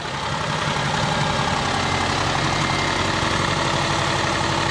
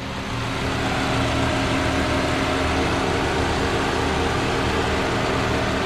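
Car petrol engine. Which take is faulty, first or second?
first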